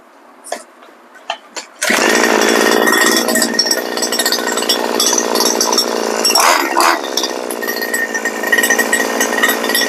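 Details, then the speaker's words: Grass trimmer with gearhead noise: engine runs with harsh gritty rasp over the buzz; shaft tube slid back so drive shaft doesn't engage gearhead, gears not stripped; fix by locking tube to harness hanger. "ถ้ามันหลวมอีกถ้าตัวกระบอกตัวนี้มันเลื่อนออกมาอีกนะครับถอยออกมามันก็ทำให้แกแกนเผ่าไม่ไปขบกับหัวเกียร์นะครับผม"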